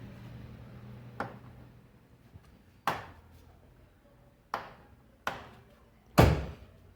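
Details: Fiat Tempra door gives sharp, hollow clunks each time it swings, from a dry, loose hinge pin.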